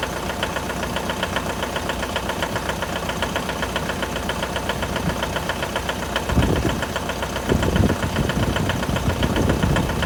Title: Стук на холодную 4d56 l200 2011 год.